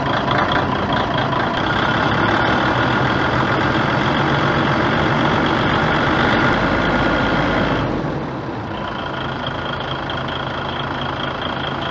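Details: DAF XF95 truck diesel, 1.8 million km, rebuilt after overheating and heavy oil consumption, first start: runs smooth and even, then settles to a quieter lower idle after about eight seconds, no knock or rattle; healthy.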